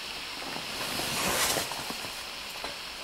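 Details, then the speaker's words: Daiwa 7HT ST baitcasting reel after strip-down and rebuild with stainless steel main gear and custom pinion support, spool tension set to its sweet spot: smooth fine whir fading evenly, no clicks or rasp; free spin lasts 1 minute 29 seconds, magnetic brake off. "Then that is 1 minute 29 seconds with the mag off."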